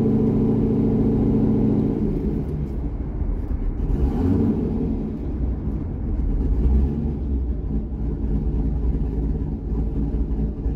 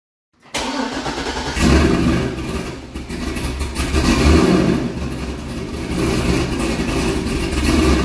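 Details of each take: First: C6 Corvette V8 with aggressive camshaft and long-tube headers, after a revised HP Tuners idle tune: deep, even rumble holds steady through light throttle, no stumbles or misfires. Normal running. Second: C6 Corvette V8 first start after an aggressive camshaft and long-tube header install, still on the old tune: after firing it lopes and surges unevenly, the revs never settle, it won't drive and dies. Rough running from a tune not matched to the cam.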